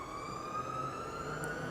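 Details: Laboratory centrifugal fan driving a wind tunnel, just started with the run button: even, steady hum with a constant mid-pitched whine and no knocking or rubbing; the fan motor runs smoothly.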